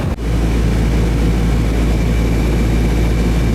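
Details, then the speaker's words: Newer Ruud AC after repair of the loose wire connection that had stopped the cooling; no issues upstairs. A steady low hum with constant fan rush and no rattles, buzzing or cycling. The condenser is running normally with good drainage. "let it run for a bit behind it's just a loose connection so I'm getting good good water flow out of it I did check upstairs there was no issues up there"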